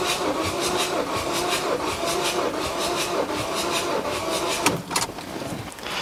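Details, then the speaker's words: Ford 2.2 TDCi diesel (Puma engine, blowing blue smoke) cranking during compression test on cylinder 3, after many cranks on other cylinders: slow, labored, uneven cranking under three turns a second; battery struggling, low reading to be retested after charging. "Now, it's obviously really down, but the battery is struggling a bit."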